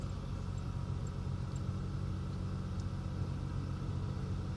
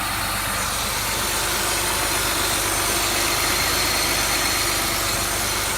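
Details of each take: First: 2003 Ford Taurus 3.0L 24-valve DOHC after a $6 PCV valve fixed high idle (code P1506): smooth, steady cold-start idle near 1,000 rpm, easing down, no misses or hunting; normal. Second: 2003 Ford Taurus 3.0L 24v DOHC with code P1506 and high idle: a steady high hiss over a fast idle that keeps running with the idle air control shut off; vacuum leak.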